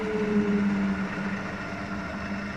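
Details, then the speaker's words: Wood lathe turning a hornbeam platter, after an undisclosed earlier fault was found and fixed: even low hum fading smoothly as it winds down, no knocks or rattles; normal run and wind-down. "hear the difference in that when it wound down. Remember in a previous video when it was just, well, I discovered the problem. I'm not going to tell you what it was because I should have probably discovered it sooner, but it's fixed."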